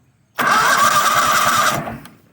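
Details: Toro Wheel Horse 266-H, 26 hp Kohler V-twin, 475 hours, first crank test on battery before fuel is hooked up: strong even cranking churn; the starter turns the engine normally.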